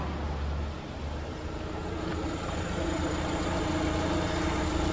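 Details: 2019 Jeep Compass engine after repair of a strange noise believed to come from the accessory belt. Steady, even run with no chirp, squeal or rattle; the belt drive sounds healthy.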